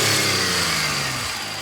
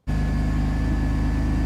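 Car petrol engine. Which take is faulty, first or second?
second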